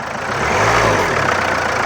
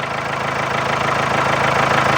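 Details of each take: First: Diesel car after knocking repair with sensor values reset: idles and takes a short rev blip smoothly, faint clatter left; earlier tak-tak knock now 70-80% or more gone, full learning expected with driving. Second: Ageing diesel car with knocking: steady idle with sharp even knock about three times a second over the clatter; knock lessens after running and revving; scanner value reset suggested as the fix.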